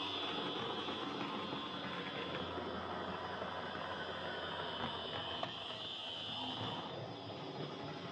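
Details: Hornby Dublo R1 0-6-0 tank loco, possibly about 60 years old, heavily run with brushes worn right down, on layout after motor adjustment; rapid uneven whirring and gritty clatter. Excessive gear noise.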